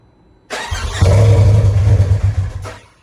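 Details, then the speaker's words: Turbo S after head studs and injectors, cranking while cycling it: low, uneven starter whir about two seconds, never fires and not building pressure; owner suspects motor spinning backwards from swapped leads, not confirmed. "the engine sounds like it wants to start but it sounds like it's only wanting to start just from the I don't even know"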